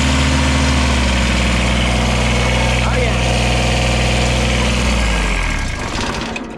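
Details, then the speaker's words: Kubota tractor diesel starts after wiring a new constant-power feed to the original beat-up starter (not replaced): steady, even chug at settled idle, then smooth wind-down; healthy start, nothing knocking or dragging, starter good after all. "yeah. Yeah, that did it. And as you can see, you know, obviously I didn't change the starter, still all beat up."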